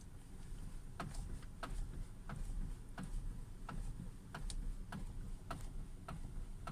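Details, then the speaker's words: 2017 Hyundai Creta, steering wheel turned with the car standing still: sharp, dry, slightly uneven clicks about every half second through the steering column, which appeared only recently; steering column knock. "на днях появилась вот такая небольшая проблема это стук в рулевой колонке при вращении руля стоячем положении автомобиль"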